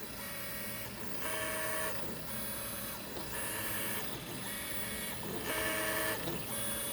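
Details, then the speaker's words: Easythreed K1 3D printer after upgrading X and Y stepper motors to cure clicking: first layer printing with smooth, quiet motor whirs in short even strokes, no clicking, grinding or skipping; running normally. "so far first layer's going down okay it uh seems to be printing it's quiet it's not clicking"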